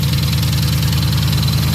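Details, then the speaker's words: 2020 Dodge Charger 6.4L at idle: faint regular tapping under a steady low idle, heard toward the front under the valve cover, suspected around cylinder 2; knock not confirmed. "Start her up. And here we have a noise coming from the engine."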